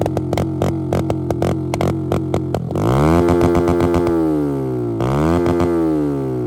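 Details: ZSF motorcycle after a YBR EFI conversion that has passed its MOT; crisp, clean revs climb and drop evenly through throttle blips with steady firing and no misfire. Engine sounds healthy, with music playing over it.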